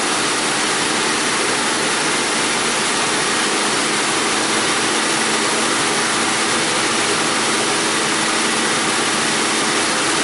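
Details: Steady, even exhaust hiss with no puffing or ticking at idle and light revs while warming up on a 2001 Audi A4 Quattro 2.8L V6, after replacing the blown flex pipe and adding a spacer on bank 1 sensor 2; exhaust sealed.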